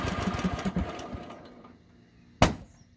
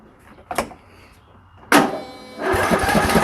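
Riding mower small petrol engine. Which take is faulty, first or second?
first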